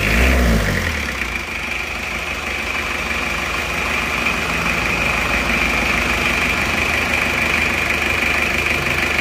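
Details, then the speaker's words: Isuzu Panther diesel just reassembled after engine repair and refilled with coolant, running to warm up before a road test: even, crisp diesel clatter, smooth and steady with no misses or heavy knocks. A normal, healthy-running diesel. "suaranya enak banget ya renyah seperti pantai 23 itu suaranya seperti ini"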